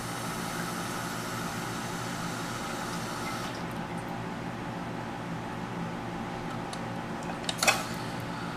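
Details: American Standard toilet after flushing out the fill valve and adjusting the water level: a steady hiss that never shuts off as the tank keeps refilling; owner suspects the fill valve is worn out, not confirmed.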